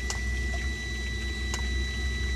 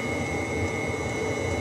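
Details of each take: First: Webasto heater in a bus camper conversion, with an open coolant circuit, expansion vessel and automatic bleeder, heard near its exhaust: a steady burner rumble with a thin whine and faint ticks every second and a half. Some air bubbles are still in the coolant after partial bleeding. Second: Webasto heater in a bus camper conversion, heard near its exhaust, with the thermostat set to 26°C and the bus at 22°C: a steady, even hum with a constant high whine from its small pump, no surging. Running normally.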